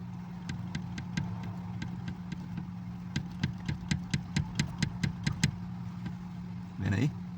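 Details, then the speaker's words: Chevrolet TrailBlazer steering column, heard low down under the dash at idle: a run of sharp, dry clicks about three a second as the shaft is worked. Caused by a broken bushing in the middle of the shaft, giving play; a repair kit will replace it. "barulho é aqui embaixo Gente vou mostrar PR vocês barulho esquisito seco barulho é aqui"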